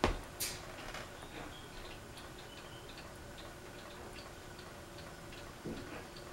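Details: Fasco Vanity Fair ceiling fan with broken flywheel: light regular tick keeps pace with spinning over a quiet hum, slight wobble; flywheel worked loose on the shaft after earlier attempts to remove it.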